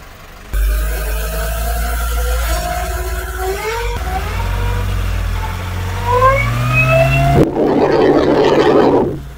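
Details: Nissan NV350 van, still new, with a drivetrain hum. A brake lining rubbing the drum had burned and needs replacing, but after it was moved away the steady low hum, rising with speed, remains. The mic was held near the propeller shaft and cross joint; that source is suspected, not confirmed.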